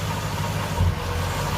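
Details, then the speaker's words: Nissan D22 Navara with VK45 V8 swap idling: mostly steady idle with one brief uneven stumble midway; intermittent misfire, the crank angle sensor holds steady, so the fault is in its wire. "Another one there. So the sensor itself is staying rock steady, not moving at all. So we've got a fault in this wire here somewhere. It is causing all our problems."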